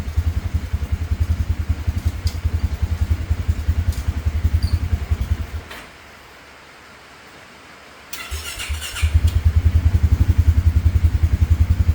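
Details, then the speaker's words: 2017 Polaris Ranger 570 EFI side-by-side, rough idle and stalling problem: steady low thumping idle that dies around six seconds, then restarts and thumps again, cutting off near 1200–1250 rpm; won't hold idle, stalling at idle. "right there. Cut off 1250. Cut off 1200. So, something's going on."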